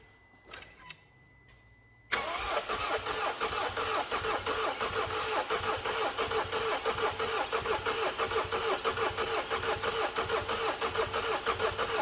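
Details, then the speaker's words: Mercedes W212 diesel after timing chain job, fuel system primed, on jump pack: starter cranks at about three even beats a second for ten seconds with no firing; suspected airlock in the fuel system. "Hopefully it's just airlock."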